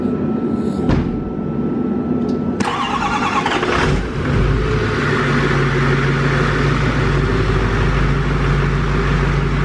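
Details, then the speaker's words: New LML Duramax diesel long block, held at a steady 2,000 rpm for the break-in cycle: steady, even fast idle with no knocks or misses; sounds healthy, no big puddles seen. "Uh, it does sound healthy so far. I don't see any massive puddles on the ground."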